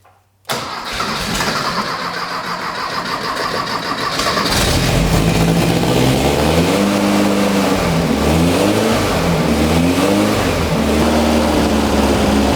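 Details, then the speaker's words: VW dune buggy with rebuilt 1600cc dual-port engine, start after flooding: quick crank, catches almost at once, then a steady rumble with rev blips rising and falling smoothly; idle needs raising to stay running. Normal start and running. "uh-huh cool so it's runs that's a plus kind of a mess"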